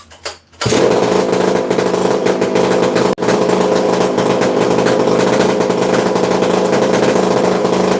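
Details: Used chainsaw with manual oiler only and missing muffler, restarted with decompression valve pushed in: fires right up to a steady high buzzing run with a brief dip, then holds even; sounds amazing, normal running.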